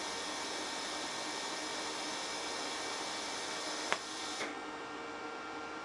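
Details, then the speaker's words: HitBox 200A dual-voltage 110/220 TIG/stick welder set at 70 amps, fusion pass with a sharp tungsten: even, steady hiss with a fine buzzing edge, no pops or sputter; stable, consistent TIG arc. "and you can probably see that my arc was very stable and very consistent"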